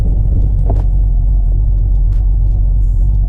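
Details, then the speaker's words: Replacement engine about 3,300 miles after replacing the OEM engine, oil life 75%, heard driving: deep, smooth, even rumble with steady exhaust note, no ticking, knocking or misfire; normal running. "Man, that is so sick. That sounds beautiful. For real. Sounds absolutely gorgeous."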